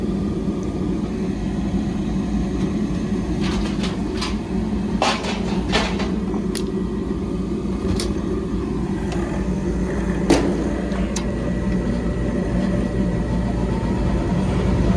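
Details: Propane-fired split conventional furnace in a commercial space where the customer complained of no heat: a steady, even low rumble with a constant hum, no knocks or rattles. The technician found nothing wrong; it is running normally.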